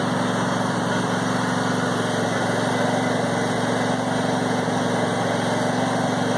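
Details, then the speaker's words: Brand-new John Deere E180 25hp lawn tractor (0.1 hours) idling after its first start on a little fresh gas: a steady, even putter at constant speed with no knocks, misses or squeals. A normal idle. "let them run for a few minutes just to make sure they're running fine. So started up perfect, which is great to see."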